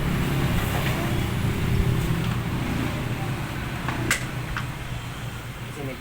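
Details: Yamaha Aerox V1 scooter that would not start or stalled with no error codes, CKP and other parts already replaced, tested on a separate tank: low, steady putter running evenly without stumbling; runs fine with the fuel pump fault resolved.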